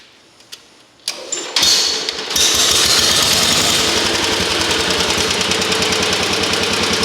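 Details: Rare antique tractor, bought non-running, started in neutral, with a very large flywheel that keeps it turning long after shutdown. A few pulls, then it catches and settles into a steady, even chuffing of about four beats a second; healthy engine.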